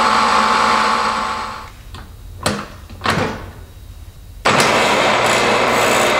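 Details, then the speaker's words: Triumph Spitfire overdrive four-speed gearbox, oil-filled, driven on a bench test stand and shifted through all four gears: even whir, brief quiet clicks at each change, no grinding even at higher rpm; synchros engaging cleanly. "even at higher rpms we made barely any any noise at all so it's shifting smoothly"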